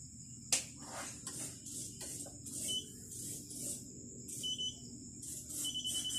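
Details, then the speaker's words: DNP DS-RX1 dye-sublimation photo printer powering on: a high, shrill alarm in long beeps over handling clicks, a ribbon error because the board no longer detects the ribbon sensor. "Ayan guys ang issue niyan long beef yung ribon so I lang natin So yan ang error nian so ang sira diyan guys is yung board board na talaga"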